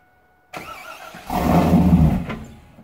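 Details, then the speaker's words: 2001 Camaro SS V8, cam and bolt-ons, started after a replacement PCM was fitted. It cranks briefly, catches at once and settles into a strong, even rumble, revved lightly out of gear; a normal start. "not too bad for what's done to it it's basically a cam bolt-on car doesn't sound too gosh darn shabby"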